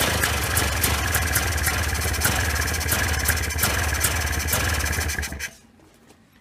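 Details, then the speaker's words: 1995 Polaris Scrambler 400 2-stroke 4x4 ATV before repair, gas sprayed at PTO-side crank seal: fast, uneven hunting idle that bogs and dies as it floods; worn crankshaft seal sucking in air, running lean. "You know it's sucking in a bunch of air when you spray the gas. It's sucking in gas, actually flooding it out."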